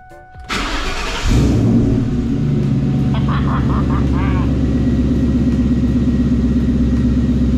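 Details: Wife's Ford Mustang GT V8 after a repair: hitting a cinder block at 70 mph caused a bad exhaust leak at the manifold and likely an oxygen sensor code. The starter catches within a second and the engine settles into a steady, even idle with no ticking or puffing.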